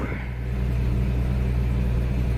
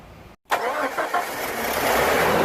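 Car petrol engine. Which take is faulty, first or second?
second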